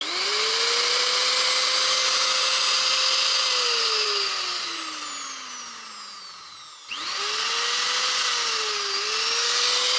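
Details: Angle grinder: a loud, harsh, rough high whine that wavers and spins down, then kicks back up; gearbox noise, likely worn gears.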